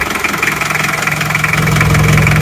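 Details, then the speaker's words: Isuzu Panther 2.3 diesel just started after work, fuel lines refilled, before reaching operating temperature: even, steady idle with a low regular pulse, no knocks or misses; smooth, healthy idle. "walafiat Ya aman halus suaranya halus"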